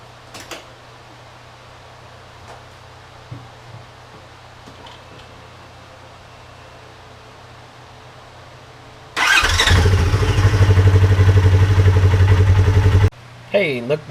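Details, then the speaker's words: 2015 Polaris RZR 4 1000 after replacing the stock cam chain tensioner (chain had jumped two teeth on the exhaust cam). Started after sitting about four hours, it fires first try and idles steadily with no top-end knock or rattle: a normal cold start. "no knock noise everything's put back together all buttoned up"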